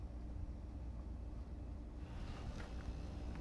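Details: Vacuum pump pulling vacuum on a large vessel while mixed part A/B RTV silicone degasses and rises like a cake. A low steady hum with a faint even tone on top, no knocking or grinding: running normally.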